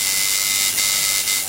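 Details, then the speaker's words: Tattoo liner machine tuned with contact gap about a dime thickness: steady high buzz, even pitch, no stutter or rattle; normal running. "I can barely slide a dime in there. That's about the right thickness there. Sounds about right."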